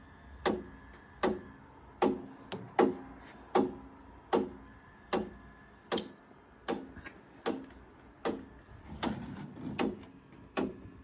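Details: Bowflex M6 exercise bike: sharp, hollow knocks repeat steadily about 78 times a minute, once per pedal turn, over a quiet hum, with varying resistance and constant update and power-cycle prompts.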